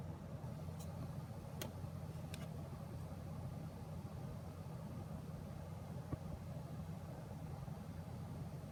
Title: Buzzing noise MSI 1080 GTX Gaming X